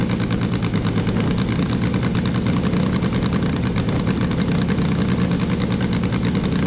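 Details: Saito FG-60R3 radial in a Top Flight P-47, after valve adjustment, on ethanol-free 93 octane with Red Line racing oil: steady even buzzing run at constant speed, deep smooth note, no misses or ticking; healthy.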